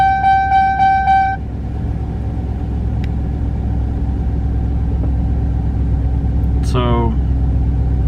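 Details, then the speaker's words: Chevy Silverado LS V8 (4.8/5.3/6.0L, 1999-2007) at startup: four quick low-oil-pressure warning chimes, then steady idle; oil level checked good, owner suspects failing oil pressure sending unit, gauge eventually rises. "Alright, so the problem I have is when I start it up, it dings low oil pressure and then eventually it goes up."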